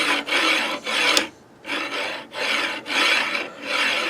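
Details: 3D printer (Anet/Creality) linear rail with a loud bed: harsh gritty rasp with each slow carriage push, about every two seconds. The rail is pitted, possibly corroded, and the bearing drops into the pits and grinds.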